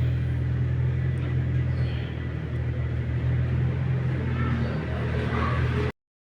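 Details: Chevrolet Camaro that had been cranking but not starting, checked at the fuel pump control module. Steady, low, even engine rumble for six seconds with no misses or knocks; running smoothly.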